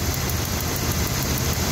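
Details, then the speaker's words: Truck with unstable idle and intermittent cylinder misfire, new spark plugs: faint sharp irregular ticks over rough idle as spark jumps outside the plug through failing plug wires; fix is replacing all spark plug wires. "You see there? The spark is jumping. That's not normal. The spark has to be to inside of the spark"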